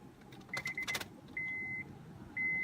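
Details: Driver's-side power window on a 2005 Honda Civic Hybrid, door reassembled: steady high motor whir runs smoothly through each travel, glass going all the way down without catching after a deteriorating foam block on the door panel that had blocked it was removed; normal operation.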